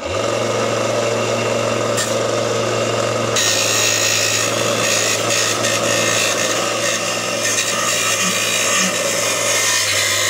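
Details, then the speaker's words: Angle grinder grinding roughly 1/8 inch off angle irons while assembling a Northern Tool cart: loud gritty grinding over a wobbly, uneven drone. The disc has slid down and runs out of balance. "and you'll hear this sounds out of balance because the damn disc slid down"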